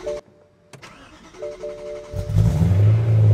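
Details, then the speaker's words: BMW E90 M3 with the S65 V8, ECU-managed cold start of about one minute: chimes, then the engine cranks, catches and flares to a loud raised idle. A normal cold-start high idle, recorded before a cold-start delete meant to fix rough idle and misfire codes. "I'm Carl, and this is the cold start of BMW E90 M3. The cold start process is autonomous and fully managed by the engine control unit, as known as the ECU or DME. It will take about one minute to complete."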